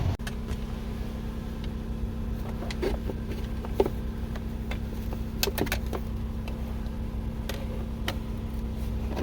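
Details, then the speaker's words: Lexus cabin blower fan after replacing a dust- and debris-clogged cabin air filter: a steady low, even hum with no rattle or flutter. The fan had been noisy before because the old filter was blocked. Now it runs smooth and quiet. "Okay, now we're gonna try it. Yeah, it's much better. Before it was a noise. Every time I turn the fan on, I can hear the noise because the filter was kind of blocked with dust, debris, and everything."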